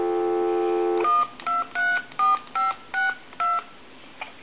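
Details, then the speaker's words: Harris TS22 lineman's buttset after board repair: crisp two-tone DTMF keypad beeps, seven quick evenly spaced digits after the dial tone drops out, each clean and steady; dialing works properly. "Now what I'm going to do is I'm going to dial a number."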